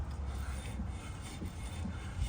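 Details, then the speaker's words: Drum brake after a wheel cylinder replacement on the offside, shoes adjusted out: the hand-spun drum gives a soft, even scraping rub with no grabbing. The shoes are just touching the drum, which is the correct adjustment. "Just hear them touching. So that's what we want."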